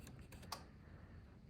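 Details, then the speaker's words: 2009–2016 GMC Acadia A/C: compressor relay pins 30 and 87 jumped with a paper clip; a few light clicks, then one firmer snap as the compressor clutch pulls in: good clutch, normal engagement. "that's the compressor clutch snapping in so that means we have a good compressor clutch"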